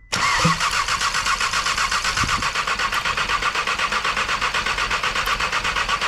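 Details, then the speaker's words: Seat Cupra 2.0 TSI (CJX) engine rebuilt with forged internals, first start after the rebuild: coils were disconnected and the engine cranked to build oil pressure, then reconnected. It catches at once after a brief crank and settles into an even, smooth idle while warming up. Normal idle. "ça tourne ça tourne c'est déjà pas malin on va laisser de monter un petit peu en temp que la pression d'huile elle arrive en haut"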